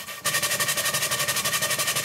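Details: 2-inch scale Fowler traction engine, run fast after repacking the piston rod gland, adjusting the small-end bearing and shimming the crosshead slipper: fast, even chuffing of about a dozen beats a second, crisp with no knocks; healthy.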